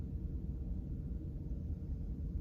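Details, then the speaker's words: VW T5 heater blower fan on speed 1 after removing and greasing it: only a soft, even low hum with no squeak or chatter; it runs quietly. "But it's so quiet. Brilliant. Oh, I'm so pleased with that."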